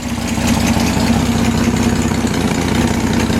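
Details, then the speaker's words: Rebuilt BMC Wolseley Farina 24/80 engine after distributor overhaul, warm at about 150 degrees with about 50 oil pressure; steady, even idle, all cylinders firing when plug leads pulled one at a time, no knocks or misses. "now that checks audio you filter the firings are all working so you can see it runs quite well"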